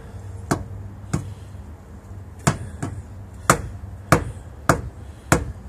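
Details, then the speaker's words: Tire-iron thump test on a tire during a weekly inspection: dull, solid thumps about once a second as the iron bounces off; firm, even tone judged moderate and okay, so the pressure is fine. "The iron bounces back off of the tire. That one, it's moderate. It's all right. Yeah, you can hear the different tone there. That one sounds good."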